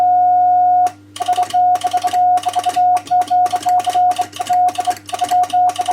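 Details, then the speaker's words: Home-built 120 W two-tube MOPA CW transmitter with an RCA 813 power amplifier, on 40 meters at about 24 watts: steady mid-pitched Morse tone keyed crisply on and off with no chirp or wobble; keying clean and acceptable. "So not bad. As I said, the keying is quite acceptable actually on 40."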